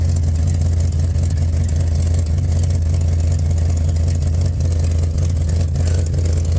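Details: Plymouth Cuda at idle, after attempted repair: deep lumpy rumble with uneven puffing tick two or three times a second; exhaust leak still present at the downpipe, unreachable behind the torsion bar.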